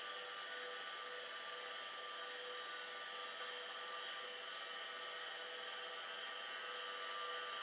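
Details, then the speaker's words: Amiga/Commodore 9090 hard drive, old unit powered up after long storage, spins with a steady high whine and hissy rough edge that never settles; sounds unhappy but no head-crash noise, cause unclear. "Now, does this sound really happy? No, not really. But it is spinning."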